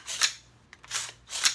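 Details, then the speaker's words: PSA M4 rifle after a 1,000-round reliability test, dried out and very dirty: three hand-cycled bolt strokes with a dry, rasping, gritty metal scrape instead of the earlier smooth ball-bearing feel. "and it has dried out some. I will admit, and you can hear that. Yeah. That is pretty gritty, but it is very dirty."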